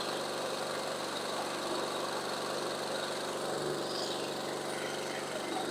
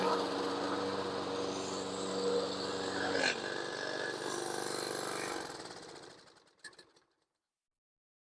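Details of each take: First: Toro Recycler 22-inch Briggs & Stratton mower after a carburetor cleaning and fresh non-ethanol gas, running on auto choke while it warms up. A steady but slightly uneven single-cylinder buzz; the spark plug was not seated well, so it runs poorly. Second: Toro Recycler 22-inch mower with Briggs & Stratton engine, previously would not start on its own, after carburetor cleaning and valve adjustment; holds a smooth, even beat about five seconds, then winds down cleanly: runs healthy.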